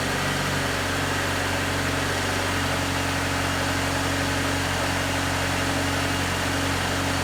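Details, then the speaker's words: One-owner 1995 Infiniti G20t, cold start after sitting over 48 hours: even, steady idle with no surging, ticking or knocking; engine runs cleanly, normal cold idle. "Also, there are no surge, no idle surge issues, nothing weird like that. You'll hear there's no noises or weird noises, just the sound of good natural combustion."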